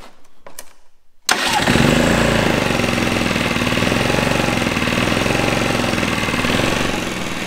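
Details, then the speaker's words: Generator unused for 6 years, which was broken when last used; spark and carb checked, fuel added and the fuel valve found off: it catches at once and settles into an even, steady run, nothing wrong. Normal start and idle. "well guys turns out nothing's wrong with this guy I put fuel in it it fires right up"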